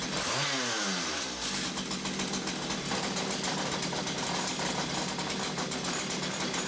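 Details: Stihl two-stroke that died when revved, suspected blocked exhaust, after clearing oily muck from the exhaust and refitting it: picks up from a falling whine into a fast, crisp high buzz that holds steady; normal revving, now revs freely.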